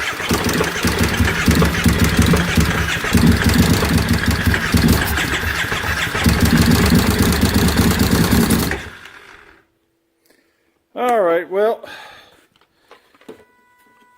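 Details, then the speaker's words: 2005 carbureted Kawasaki Brute Force V-twin with a freshly installed engine and a 2012 fuel-injected stator runs unevenly and stumbling with backfiring for about nine seconds, then dies. The wrong stator is the cause, after fresh gas and good spark plugs were ruled out. "I can show you what it's doing here I'll start it up here until show you hey got some back firing going on that's all it is"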